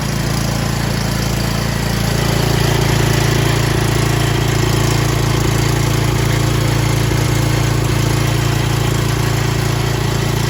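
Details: Cub Cadet XT1 mower just after oil and filter change: engine catches and settles into a smooth, even steady hum with no misses or knocks, no leaks; normal idle.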